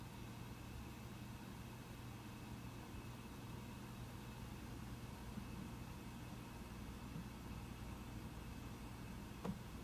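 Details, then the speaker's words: Mac Pro 1,1/2,1 under benchmark load: soft, steady whir with low hum, barely rising toward the end as fans ramp slightly; normal quiet fan noise. "if you've noticed in the fans on the Mac Pro I'm not sure if you can totally hear it but the fans did ramp up in the last half minute or so just slightly it was still quite quiet"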